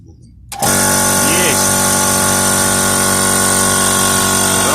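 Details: Electric air compressor that hummed but would not start, after its combined start/run capacitor was replaced (motor tested OK): starts instantly and settles into a steady, even, loud hum and clatter.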